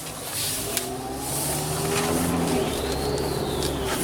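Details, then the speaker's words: 2013 Hyundai Santa Fe 2.0 turbo, driving uphill under acceleration with AC off: thin high whistle rising and falling over the engine, a boost leak from a separated intercooler connection, not turbo failure or idler pulley; too mild to set a check engine light. "see so if you hear that noise like that's like a whistle so it's either we got a problem with the turbo or what i found on this santa fe or any turbo and hyundai's the intercooler separate from the from the component right"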